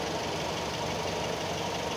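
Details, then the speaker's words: Used car at idle with air conditioning on: smooth steady idle, no groaning or knocking from the AC compressor; normal compressor. "ini masih masih aman masih kalian dengerin aja nih ya di lewat video ya ini masih masih normal Engak enggak ada suara ngoroknya ya"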